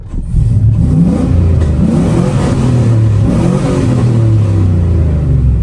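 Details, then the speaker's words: Warmed-up truck after a fix that cured its black smoke. The engine climbs and falls smoothly through throttle blips, with no hesitation, popping or clatter. It revs better and sounds better at idle, and no codes are stored afterward. "Good news, the truck definitely sounds better even just sitting at idle with it warmed up. And uh I'd say it feels like it revs better and we're not [ __ ] out black smoke."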